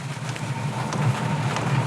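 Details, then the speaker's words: Multi-voltage (12V/24V/240V) diesel heater on test with no exhaust or silencer fitted, microphone brought close: fuel pump ticking, then a steady, low, even roar with rain in the background; lit and burning cleanly. "oh the fuel pipe is uh flashing and i can hear it pumping fuel i can hear it's light now"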